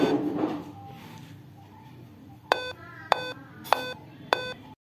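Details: Dell Inspiron 15-3521 laptop at power-on with no display: four sharp identical beeps roughly every 0.6 seconds in a quiet room; four-beep POST code, cause unconfirmed, owner suspects the keyboard.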